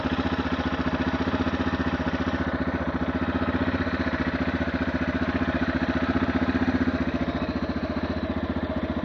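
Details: 2008 TTR230 single-cylinder at warm idle, after about 5 minutes running: sharp regular ticking rattle, louder on one side; valves in spec and cam chain tensioner checked fine, cause unknown.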